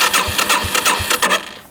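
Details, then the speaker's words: 1987 Yamaha SRX 250, bought as non-running, clutch safety switch apparently disconnected; starter spins the engine in an even churning rhythm, about three pulses a second, with no firing at all; cranks but will not fire. "But right now, you can click the start button. You can hear it turn over. We know the kill switch is working because it won't turn over with the kill switch on. It looks like they tried to disconnect the safety switch for the clutch. But yeah, as you can see, it doesn't fire at all."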